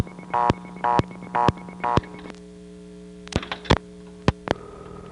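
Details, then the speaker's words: Pay phone stuck on reorder in a small Bell System step CDO: rapid irregular bursts of coin-signal tones and clicks over a steady reorder tone, about two a second; the coin totalizer is malfunctioning. "The totalizer, which among other things makes the coin sounds, was malfunctioning. Oh, wow. Sounds like a coin thumb going bananas on there."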